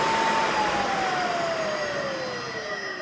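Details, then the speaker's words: Motor rated 1765 RPM at 60 Hz on a custom single-phase-input VFD from the Wadkin Temple, after running at 120 Hz full speed, about 3531 RPM. Smooth whine slides gently down in pitch as it coasts, no rattle or rough hum; very quiet, healthy induction motor. "very nice quiet motor"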